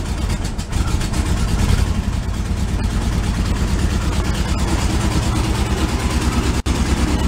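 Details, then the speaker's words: 1978 VW Super Beetle air-cooled engine, cold, long stored, oil leaking from oil cooler onto exhaust: lumpy, uneven stumbling idle, not running on all four; one cylinder earlier had 90 psi compression. "I had low compression at one cylinder one cylinder had 90 pounds but it seemed like it was running okay now that it came back it runs kind of low-key and not on all four"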